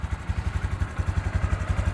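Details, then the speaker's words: Honda Super Cub C125 after battery replacement, about 14,592 on the odometer: low, even putt-putt at about seven beats a second, steady with no misses; healthy single-cylinder idle. "but otherwise she's running good"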